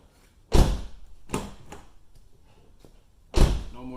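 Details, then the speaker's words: Door closing cleanly with a dull thunk and no scraping after being adjusted with cardboard to stop it grinding against the fender; the door now lines up and closes freely, no more noise. "Just keep playing with the door back and forth and wiggle your cardboard out. There. No more noise."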